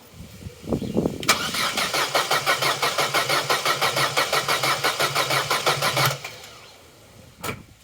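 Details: Long-neglected Vauxhall Corsa B, sat 4-5 years, new battery at 12.1 V: fast even cranking about three turns a second for five seconds, never catching; engine later runs on alternative fuel, so fault lies in fueling.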